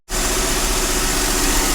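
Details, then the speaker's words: 2008 Mercedes CLK350, 129k miles, auction car with previously seized engine freed with penetrating oil, run without coolant, secondary air pump running: steady, smooth idle hum with no knocks or misses; runs cleanly. "It runs very smooth, to be honest. There is no any knock sounds."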